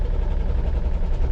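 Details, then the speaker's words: Ford 300 4.9L straight-six in an OBS truck: a deep, uneven rumble with a stumbling pulse; it runs but badly, likely on 4 cylinders with a plug wire unhooked and a cylinder not firing, in the ignition system. "I mean, it's running, but it ain't running good."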